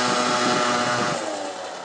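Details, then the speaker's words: Peugeot Speedfight 50cc two-stroke moped after starter relay, exhaust, carb and variator roller fixes, ridden at about 50 mph and pulling hills well: high crisp buzz revs cleanly and fades smoothly as it pulls away, no stumbles; normal running. "so guys there you go cook what up-and-down does 50 mile-an-hour pulls up Hills does really well"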